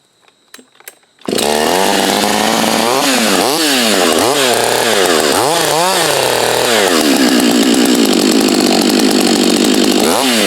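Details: A Husqvarna 562 chainsaw, heat soaked, makes test cuts beside a salvaged Husqvarna 51 and a 254. It starts on one pull, then a strong high scream dips and recovers under load as it cuts: a healthy saw pulling cleanly.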